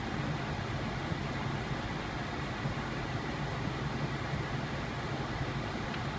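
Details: 2001 Lexus RX 300 air-conditioning blower after fixing loud grinding, clicking and rattling: soft, steady airflow hiss with a faint low hum and none of those noises; blower runs quietly and smoothly.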